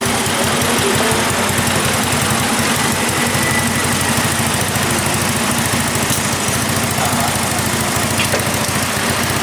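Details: Yamaha Mio carburetor scooter freshly bored up with a 58 mm piston, first start after rebuild: steady fast idle with even firing pulses and some top-end clatter, no knocking or misses; running normally.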